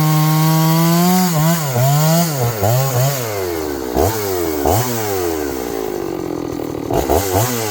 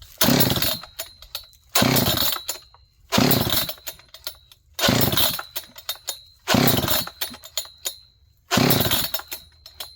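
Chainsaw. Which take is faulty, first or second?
second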